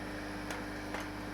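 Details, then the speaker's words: Home-made vacuum dryer pump: rattling stops once a bit of air is vented into the chamber, leaving a quiet even hum with faint ticks; pump running normally. "but listen what happens if I vent a bit of air into the chamber stops stops rattling and goes back to sounding happy"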